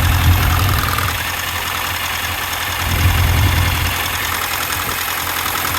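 Idle beat stumbles unevenly, roughly four uneven thumps a second over a low rumble, with a missing cylinder giving a lumpy shake.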